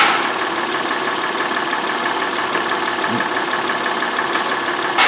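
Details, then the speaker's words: 2004 Honda Pilot V6 with a flashing engine light and misfire codes on all six cylinders. Even, steady idle with no stumble or skipped beats. Normal idle; the engine does not feel like it is misfiring at the moment. "oddly enough this engine does not feel like it's misfiring now that's dandy"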